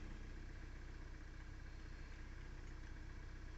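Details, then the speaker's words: 2017 Kia Soul 2.0L after crank position sensor replacement, idling during scan tool auto-scan with no codes: low, steady idle with an even beat and no misses, knocks or stumbles; running smooth. "running fine it's car is sitting here running smooth currently there's no codes"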